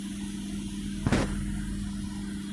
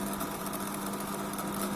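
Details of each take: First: LG MC-7688DP microwave oven fan motor after greasing bushings and rewiring, originally noisy; even low hum at one steady pitch, a couple of faint clicks, no rattle or grinding; runs quiet and healthy. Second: LG MC-7688DP microwave fan motor gives a steady hum with a rough buzzing drone and faint rattle, loud at times, often not on a second start; fan motor noise, needs greasing or replacement.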